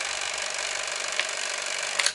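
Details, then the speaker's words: Sankyo EM-60 XL Super 8 cine camera drive running at 24 frames per second: fast, even whirring buzz with a fine steady flutter and a small click at the end; runs cleanly. "okay that's 18 frames per second this is 24 frames per second"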